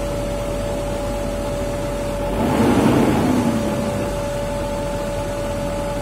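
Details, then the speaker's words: BMW M52 straight-six after new F7LDCR spark plugs and ignition coils, test start before reassembly: even steady idle with a brief gentle swell, no misses or roughness; running smoothly. "Mesinnya halus, berarti kita udah bisa matiin mesin dan membereskan semuanya kembali."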